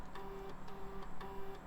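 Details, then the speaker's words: Salvaged e-waste retro PC booting a DOS boot floppy after a happy POST beep: short buzzing head steps about every half second with light ticks, even and clean; floppy drive seeking normally. "got a happy beep and we're posting and we are booting floppy dive sounds great"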